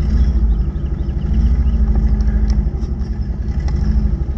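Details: 1981 Toyota Tercel, carbureted, just jump-started from a dead battery, idling as it warms up: low, steady idle rumble with an even beat, no knocking or stumbling; running smoothly. Owner says it is sometimes hard to start and suspects the carburetor.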